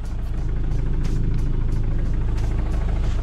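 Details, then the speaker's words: Land Rover Defender diesel idling in neutral: dull regular thump about three times a second; owner suspects the clutch, and replacing it with an LOF clutch removed the noise completely. "it's almost like a thumping noise i nearly put it in the last video but it's like a thumping noise like i'll put it in now so i don't know if you'll be able to hear that you can hear that kind of clunking noise"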